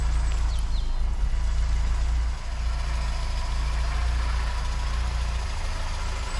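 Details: Austin Allegro 1300 Super just after cold jump-started first start in months: low, even four-cylinder rumble with steady beat, no misses or knocks; healthy idle, exhaust steam is just condensation.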